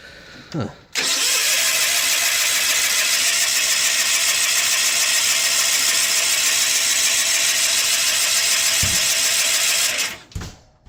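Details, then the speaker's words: John Deere 316 lawn tractor: both plugs gapped and sparking, oil present, air cleaner off and a little gas dribbled into the carb. Steady even starter whirr for about nine seconds that never fires: crank, no start. It started after more gas was poured in. "Well, that's disappointing. Let me pour a little more gas in the carbon. Let's see if we can get it running."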